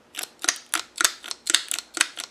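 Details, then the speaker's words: Land Rover 300Tdi fuel lift pump fitted with only one gasket instead of the 3 mm spacing: cam sits too tight against the lever, which has nowhere to go, giving sharp hard clicking about four times a second, often in pairs, following engine speed. "can you hear it what's happened is that this is only at one gasket on and what is going on is that the cam is is too tight against this lever and it's nowhere to go"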